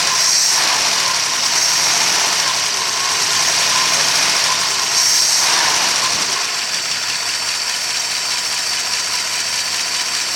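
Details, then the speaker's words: 1964 Studebaker Daytona at its first start in 25 years: steady, even idle with 50 psi oil pressure and a light regular valvetrain tick; no knocks or bad sounds, the engine sounds healthy. "50 pounds of oil pressure at idle. It sounds good. I don't hear any knocks or any bad sounds."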